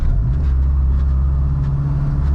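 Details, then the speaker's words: Honda Del Sol converted to manual steering rack, manoeuvring at very low speed in a parking lot: deep droning rumble, engine labouring at very low revs, lugging. "generally you're going very low speed there's almost always a lot of movement going on because your rotating Wheels quite a lot especially backing out of spots oh does not like that gear"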